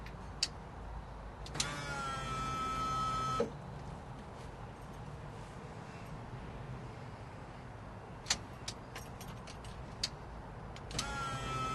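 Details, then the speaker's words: 1987 Chevy square body truck, key-on in cab after a new fuel tank selector switch fixed a voltage drop issue: steady electric hum about two seconds, stops, returns near end; fuel pump priming normally on its own. "when i flip the key on you'll actually hear the fuel pump run by itself this time ready"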